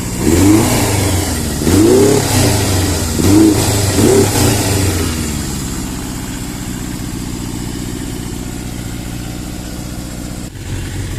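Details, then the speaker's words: 1982 Suzuki GS650GT, first start since delivery: a few sharp revs that stumble and fall back, then an uneven lumpy idle with wavering beat; owner suspects fuel not getting through properly; rough running. "i think the fuel's not really getting to it right but i've got it running i'm impressed with myself here you have it running running rough but running nonetheless"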